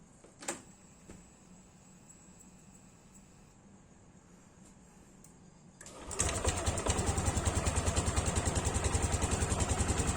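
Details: Yamaha Aerox scooter after replacing water pump seal and bearing to cure a squeak: quiet lead-in, then the engine fires up and settles into a steady, even idle with no squeak.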